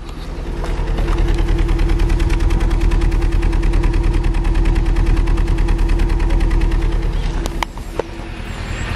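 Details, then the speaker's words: Vauxhall/Opel Astra Mk5, hard to start with engine light on, idling with juddering misfire heard at engine and tailpipe, chuffing like a train; spark plugs and coil pack replaced a year earlier without fixing it, coolant level dropping slowly, blamed on head gasket failure. "hopefully you'll be able to hear that you can see this juddering a misfire and if I take you to the exhaust you can also hear it back here as well"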